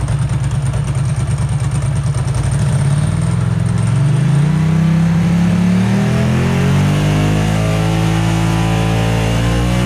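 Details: Ducati ST2 2V V-twin warmed up (64°C, thermostat open) during throttle body balance adjustment; blips up and settles cleanly, even beat, no stumble; horizontal cylinder trails somewhat but balance judged good.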